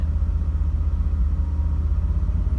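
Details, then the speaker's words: Mercedes E500E, after mass airflow sensor swap cleared codes: held around 2500 rpm light throttle, exhaust drone stumbles and pulses unevenly; strong persistent misfire, owner suspects original cap and rotor insulators. "take it up to 2500 rpm or so and hold it at light throttle should start to act up here a second"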